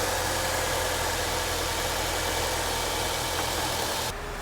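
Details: 2006 Nissan Altima after a misfiring bad coil pack was replaced: steady, even idle with a smooth drone and no stumble or skipped beats, firing cleanly on all cylinders. Normal idle.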